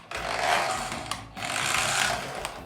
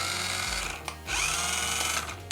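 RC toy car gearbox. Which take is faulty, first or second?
first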